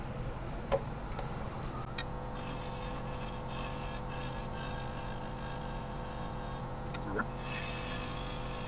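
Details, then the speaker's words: Cracked maple piece on a running lathe during shear scraping: steady lathe hum, then a rough fluttering rasp as the tool catches on the open cracks; tool chatter on cracked wood. "Yeah, the chatter against the cracks is what that noise is."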